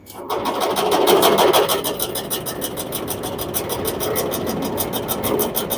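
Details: LG commercial dryer running with a load: loud, rough rumble with a fast rhythmic clatter, about three beats a second. Damaged drum roller wheels found; replacing them stopped the noise.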